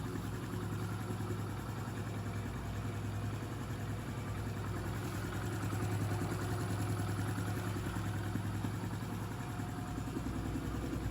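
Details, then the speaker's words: Honda Pop 110i, about 25,000 km, after engine rebuild: quiet, even single-cylinder idle with soft steady beat and no knocks or rattles; repair finished successfully. "Popzinha finalizada, ó. Tozinho bem caladinho, ó. Motorzinho bem caladinho, foi finalizada com sucesso."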